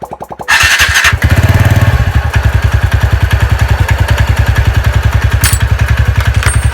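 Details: TVS Ntorq scooter after fixing a tik-tik noise by cleaning the one-way parts with petrol and properly tightening the bolt. The engine catches and settles into an even, steady idle thump with no tick; healthy.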